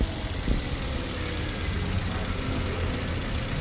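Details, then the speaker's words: Toyota 2NZ-FE engine after cleaning debris from crank oil strainer and refitting timing cover: quiet, steady idle with only light fast injector solenoid ticking; previous noise gone, engine healthy. "Yan tahimik na yung naririnig niyong ano po mga guys yung parang lagitik. Ito mga injector po yan. Yan yung tiktik. Yan injector po niyan."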